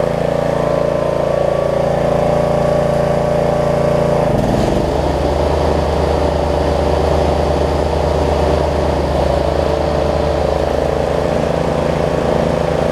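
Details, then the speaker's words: Snapper rear-engine rider mower, repaired after bad gas; on the second pull the small single-cylinder engine briefly stumbles, then settles into a steady, even beat with no misses or knocks. Normal running. "i'd say that's a success second pull make sure it runs and or dries and cuts like it should"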